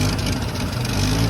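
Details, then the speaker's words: 1975 Ford F250 V8, long-sitting truck being revived with carburetor: deep idle with an uneven, lumpy beat, firing rhythm wavering after briefly smoothing out; choppy rough idle, cause not pinned down. "it's unreal how it smoothed out it's getting choppy again that is cool"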